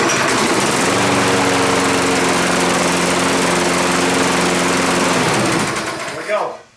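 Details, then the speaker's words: Toro Recycler 20334 lawn mower after spark plug and air filter replacement and carburetor cleaning: it starts strong and holds an even engine note without stumbling or surging, then shuts off cleanly; normal running. "Starts out strong, no problem, no hesitation."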